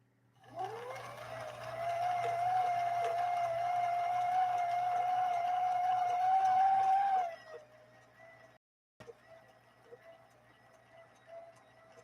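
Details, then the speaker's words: Vintage Viking sewing machine with gear reduction to one-fifth speed, sewing heavy leather with a harpoon needle: steady motor hum with faint whine creeping up over seven seconds, motor held back but pulling evenly; normal running under load. "listen for that motor listen to that motor being held back held back from a speed standpoint here we go"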